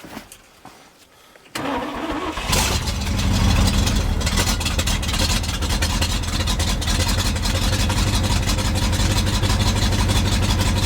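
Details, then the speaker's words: 1971 International 1890 plow truck, 210,000 miles, abandoned since 2001, with a rebuilt carburetor. The starter churns steadily but it never catches; it isn't pulling fuel yet, possibly low on gas or flooded. Cranking, no start. "need a little more gas in there or maybe I already flooded it hasn't started pulling fuel yet though I was hoping it would by now"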